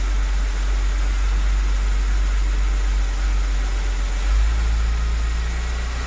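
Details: BMW 325i engine reassembled after a stiff, poorly lubricated camshaft let the VANOS cam rotate out of timing, Valvetronic refitted and set: low steady idle hum, even note, no knocks or ticks; runs smoothly.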